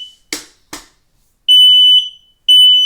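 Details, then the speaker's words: Kidde smoke alarm at night: loud piercing half-second beeps repeating about once a second; keeps sounding continuously and push-to-hush fails to stop it, cause unknown. "that's right this fire alarm is going off i was in the shower having a nice quiet time until this alarm went off"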